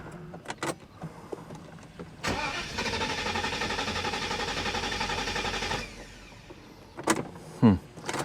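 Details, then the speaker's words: 1985 Euro Mercedes 500SEC on first start, on 95°F day: cranks and fires, runs lumpy about three seconds then dies; seems fuel-starved, later cold-start and mixture adjustment got it running. Rough running after start. "still feels like it's not getting enough fuel"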